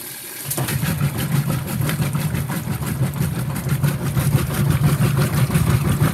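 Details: Whirlpool WTW5300SQ0 top-load washer after a new timer was fitted, small load, warm water, normal regular cycle, high agitation: low rhythmic swish-thump about three strokes a second, steady with no knocking or grinding, normal agitation.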